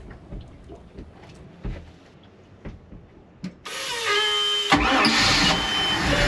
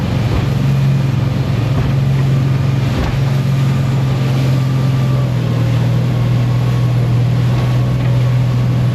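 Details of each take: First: Boat engine test start after replacing both fuel filters and cleaning the spark arrestor, amid ongoing engine trouble: quiet knocking, then it catches abruptly and runs at a steady pitch without cutting out; starts and runs normally. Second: Boat engine underway across the Strait of Georgia: steady low engine drone under wind with brief dips where the beat falters and sags; engine cutting out intermittently.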